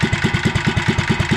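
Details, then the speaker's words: REO Trikeabout small single-cylinder engine idling cold at about 550 RPM on the cam while warming up, with governor just installed: slow, even low chugging, steady and unhurried; owner thinks it runs a little rich or lean and blames the cold; normal cold idle. "It's really cold, so that's why it's running the way it is."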